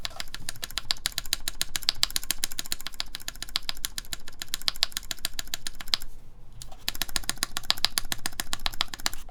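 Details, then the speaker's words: Mode Envoy keyboard, full aluminum plate, lubed Cherry MX Black switches, 62g TX springs, GMK Fuji keycaps, screw-in QMX stabilizers: fast typing with a thin ticking edge and space bar rattle; stabilizer feels tight, possibly an overtightened screw. "so there definitely is a bit of ticking let's hear the space bar here makes it kind of too tight for this this bar okay let's see"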